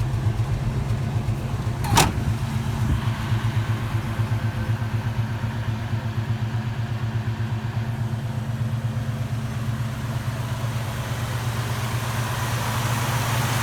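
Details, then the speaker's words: 1972 Chevy C10, 350 small-block V8 (non-original) with TH400, electric-choke Rochester carburetor at 6 psi fuel pressure, ~2.5-inch exhaust: steady, even low burble about four pulses a second, no misses or knocks; smooth normal idle. "good truck with that rochester it idles really smooth exhaust sounds nice"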